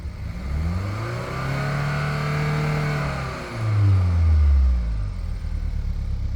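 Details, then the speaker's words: 2015 Hyundai Sonata whose engine was rebuilt at 129,000 miles (new pistons, rings, crank bearings, rods, head gasket) runs a little rough; revving swings up and down twice cleanly with no stumble, and the rough running clears up under throttle. "When you give it throttle, it clears up, and you can't see it, but when you give it throttle, it clears up really well. It sounds really good"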